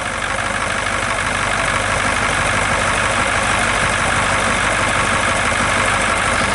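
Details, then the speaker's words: 1966 GMC military troop-transport bus, big old engine at steady, even idle with no knocks or misses standing out; sounds healthy. "boy it sounded good though"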